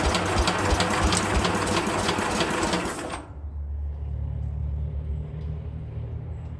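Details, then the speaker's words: Speedex 1630 garden tractor, engine probably not original, on a second attempt with a new carburetor. Fast rapid firing for about three seconds, then it settles into a lower steady putter and keeps running; the engine finally starts and runs. "She runs, guys. She runs. We finally got her to run. Success. She runs, guys. She finally runs. We got her to run."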